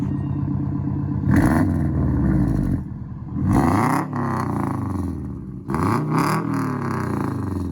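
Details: EM2 Honda Civic, after installing 1320 D-series unequal-length headers with an added custom gasket and a trimmed triangular tab, revved: clean throttle blips climbing and falling smoothly with a lumpy burbling exhaust, no ticks or rattles.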